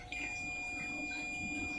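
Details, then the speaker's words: Polytron LED TV that is completely dead, diode checked on a multimeter continuity test. A steady unbroken high-pitched beep sounds as soon as the probes touch, showing the diode is shorted. "dari pengukuran ini kita temukan dioda yang short ya ini teman-teman dengarkan kembali"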